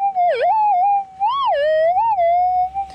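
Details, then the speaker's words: Minelab GPX 5000 metal detector with gain at maximum 17: threshold tone swoops and warbles constantly with hiss behind it, poor ground balance; target louder but excessive ground noise from gain set too high. "I just put it all the way up to 17 so you can hear immediately doesn't want a ground balance terribly well quite quite noisy as we detect and you can hear that target it has gotten a lot louder but there's a lot of other noise going on here"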